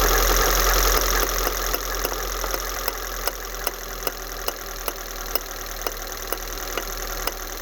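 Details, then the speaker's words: 2000 Honda Civic EX with surging idle: engine holds high idle under steady sharp taps about four a second from a rod and hammer on the corroded idle air control valve housing, then settles lower as the sticking valve frees. "Whatever corrosion was in there is starting to wear off, and the idle's coming down on its own for the most part, but it's still hanging up a little bit."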